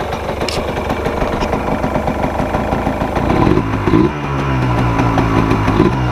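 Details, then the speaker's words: 1999 Yamaha Blaster two-stroke just after a cold start, following a mouse-nest cleanout and fresh air cleaner, 32:1 premix: crisp ring-ding idle with light blips, steady and clean, idle perhaps slightly low; normal two-stroke idle. "sounds like the idle should come up a little bit but I think we're ready to go"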